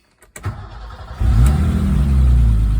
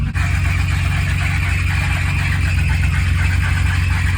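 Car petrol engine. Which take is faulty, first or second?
second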